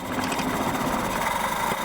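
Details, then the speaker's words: 1968 Fiat sitting about 30 years, after fitting new points and condenser: a small petrol engine buzzes rapidly for a couple of seconds, running only briefly as if on a priming drop of fuel. "gets pretty good gas mileage it runs for a second off like a drop"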